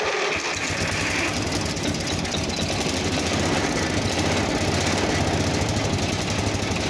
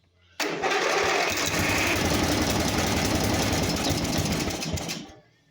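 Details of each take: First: Simplicity 4212 lawn tractor restoration, first start after engine work: steady, even single-cylinder chug with no misses or surges; the owner still suspects something with the carb. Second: Simplicity 4212 garden tractor under restoration, first start after fresh gas and air filter work: catches and runs a few seconds with uneven chatter, then dies abruptly; owner suspects a carburetor problem.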